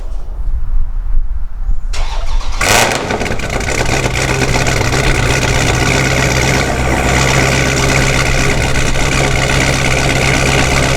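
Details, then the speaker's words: Forged 426 Hemi with a D1SC supercharger, cold start: catches after a couple of seconds, then a loud steady idle with a faint gritty gear hum. The grindy blower sound is partly straight-cut gear noise; the owner is unsure whether all of it comes from the gears, before a supercharger oil change. "a lot of people have noted that my supercharger sounds a little grindy and I know part of that is from the straight cut gears but I don't know if all of its from the straight cut gears"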